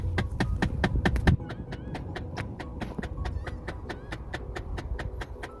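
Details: Ford Fiesta: when switching the air direction between defrost, vent and floor, rapid uneven plastic clicking comes from behind the dash. The air distribution mode actuator's worn internal gear is jumping as it hunts for position; the fix is replacing the actuator.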